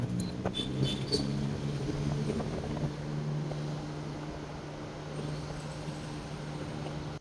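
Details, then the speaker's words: Evaporative air cooler fan after repairing and fitting the control board: steady low even hum, no knocking or scraping; the motor spins normally while switching through speeds 1 to 3. "Này các bạn thấy nghe tiếng này. Motor nó quay nha."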